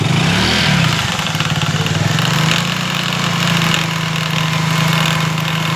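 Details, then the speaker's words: Motorcycle just after a service, running with a faint chirping, cricket-like chatter from the drive chain over a steady engine note; chain noise, likely dry or badly adjusted chain. "अभी मैंने इस गाड़ी का service किया तो इस गाड़ी में चैन में आवाज़ ए रही है ठीक है"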